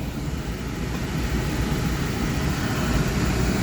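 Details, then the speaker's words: Spirit Series 80% oil-fired furnace at startup, blower kicking on 15–30 seconds after ignition; steady low burner roar with even blower rush, no pulsing or rumble; normal oil burner and blower operation. "there goes the fan so you kind of seen the sequence of operation of this uh this oil fired furnace is an 80% furnace"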